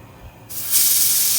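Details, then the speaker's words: Samsung refrigerator not cooling, unplugged and plugged back in: weak but constant high-pitched hiss of accumulated gas blowing from the cut line where it should be sucking in, indicating a partial capillary tube restriction; filter drier to be brazed in. "this is the air that I accumulated from a couple minutes. And it's supposed to be sucking in out of here. And it's not. So I have a restriction or partial restriction in here."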